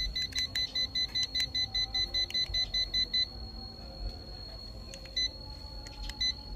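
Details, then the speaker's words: HUKAN 5-line laser level with remote and tripod, slightly tilted: fast high-pitched beeping about five a second, then a steady tone, its out-of-level tilt warning. "Này nó hơi bị nghiêng. Đấy. Khi mà nó bị nghiêng này thì nó sẽ kêu như này các bác nhé. Nó kêu tít tít"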